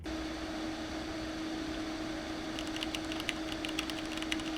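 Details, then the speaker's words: Cheapest AMD Ryzen Alienware prebuilt with RX 5700, under gaming load in a 30 °C room: loud, constant fan rush with a steady hum over it. Temperatures are fine; the stock cooling is working very hard to hold them. "So it's very noisy because the system is trying really hard to maintain those temperatures, and in all fairness to the PC, the ambient temperature in the room that I did the tests in was 30 degrees Celsius, so yeah, it is a bit of a tough use case."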